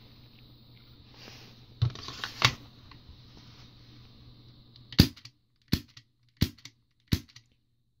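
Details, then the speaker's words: Tokyo Marui gas pistol magazine with stock flow valve, struck by lower-frame knocker on high-pressure gas: four sharp strikes about a second apart, each with a brief gas pop as gas leaves the gasket; valve opens normally. "you can hear gas is leaving the gasket as it should"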